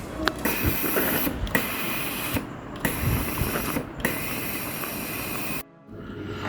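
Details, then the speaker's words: Philips GC8638 steam iron, soleplate hot, water filled: fast uneven ticking clatter from the solenoid valve with no steam output; cause found as a cracked hose connection near the new pump. "uap dia tak keluar cuma kita dengar bunyi valve dia."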